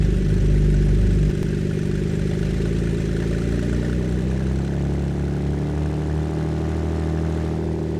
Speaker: But we're at 1,000 RPM idle. And that little raspy sound right now, I don't know if I'd like that.